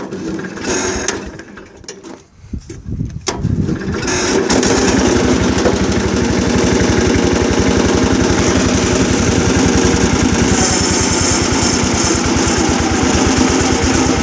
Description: Strange sound when cranking